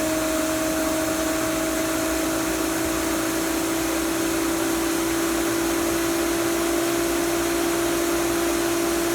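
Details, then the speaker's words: Hayward pool pump motor after replacing its control module with a new 4 kW Huanyang VFD, run up to about 3396 rpm: smooth, constant motor tone at high speed with no wobble, rattle or vibration; normal running. "i got 13 well 34 well yeah i see that a little tolerances going a little above it a little below and as you can see no vibration"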